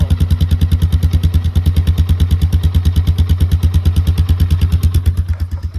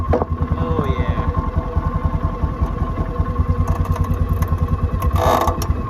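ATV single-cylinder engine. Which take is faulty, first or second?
second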